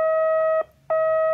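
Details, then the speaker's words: Homebuilt multivibrator Morse practice oscillator with an RC filter rounding the square wave: a clean, steady mid-pitched sidetone keyed on and off, soft and even with no squeak, unlike a 555-based practice key. Smooth sidetone. "that a pleasant? That's just a nice, pleasant side tone."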